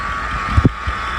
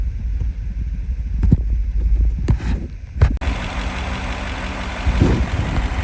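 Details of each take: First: Original 5.0 Coyote V8 with 307,000 miles, idling: steady high whine over the engine from a bad bearing in either the belt tensioner or an idler pulley; idler pulley bearing whine. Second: V8 with 307,000 miles after replacing a whining belt tensioner or idler pulley with a bad bearing, found with an IR thermometer: a low, steady idle with no whine or chirp from the belt pulleys.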